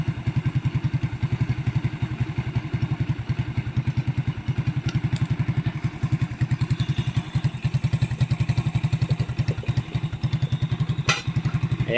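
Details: Single-cylinder motorcycle after carburetor cleaning to fix overflow and misfiring: it thumps at a steady idle, pulses fairly even with no stumbling or popping, and runs fine.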